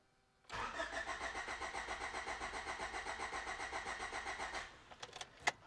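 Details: 1989 Honda Prelude, 3rd gen, after replacing its original timing belt, cranked in neutral with the coil disconnected to circulate oil after sitting: even compression pulses for about four seconds, healthy cranking.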